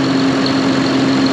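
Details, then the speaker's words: John Deere 7200R, just started after a new engine wire harness for fuel rail pressure codes, exhaust manifold reassembly and a loose fuel line fix. Running to purge coolant, it gives a steady diesel idle with an even low drone and constant whine, no knocks or stumbles: normal idle. "so we'll have to let this run and let that coolant find its its way let it level off pop it off and then we can re hinge This Hood"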